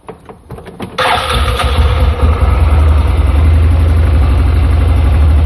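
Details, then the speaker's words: 2007 Yamaha Rhino 660 single-cylinder, previously rough idle cold and high idle warm: after seating a loose, spring-loaded part finger tight, engine settles into an even, steady idle with no stumbling. "It runs much smoother, but you're thinking, well, what's going on?"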